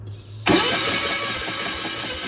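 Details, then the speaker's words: Onan engine on a Gehl Hydracat skid loader, long neglected, cranking: starter spins fast and too even with no compression beats and no catch; no compression because a valve was stuck open. "so pull the head off and since it's had no compression and we found a valve that's stuck open now it's closing so we're gonna work that back and forth"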